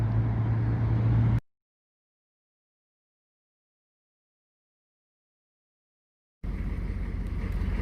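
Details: Short-bus engine after repairs, second new pump fitted, reluctant to start then ran: two stretches of steady, even low rumble with no knocks or misses; running smoothly.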